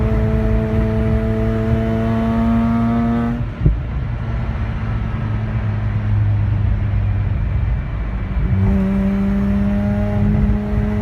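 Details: Mazda RX-8 rotary, new coils, plugs and midpipe, good compression; pulls strongly to high rpm, then pitch drops and stumbles several seconds before recovering: misfire under acceleration, cause unknown.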